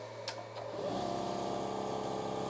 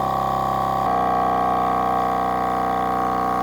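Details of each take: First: Milwaukee M18 cordless air compressor on 18.2 V wall power via a plug-in adapter, starting from 0 PSI with the petcock closed: spins up to a steady, even hum with a fine rapid pump pulse, slight voltage sag, about 310 W; running normally. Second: Milwaukee M18 cordless air compressor on a weak battery: motor whine drops in pitch and stays lower as it bogs down under load, working much harder; it reaches only 90 PSI instead of 140.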